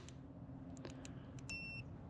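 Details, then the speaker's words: Motorcycle wireless TPMS sensor screwed onto kayak trailer tire valve (60 psi max) before monitor setup: one short clear electronic beep after a few light clicks, alert since not yet set up. "oh it just you hear that it is beeping so we don't have it set up yet"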